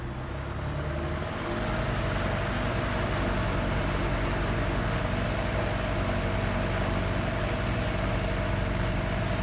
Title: Rough idle (Sky Arrow)